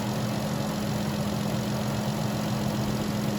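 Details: Vehicle with a no-crank, no-start in about -10 cold after a new battery, fixed by tightening loose battery terminals: now idling with a steady low hum and faint constant tone, no misses or knocks, charging at 14 V; normal idle.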